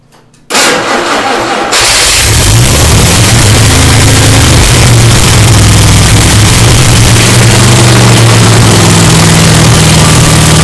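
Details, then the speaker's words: Newly rebuilt engine (replacing cracked block) on a Vermeer 630A stump grinder, fully charged battery, fresh spark plugs: fires on gasoline, runs loud and slightly hunting, won't hold a steady idle; rough idle after start. "hi guys so fired up on gasoline in fairly decent didn't really want to idle"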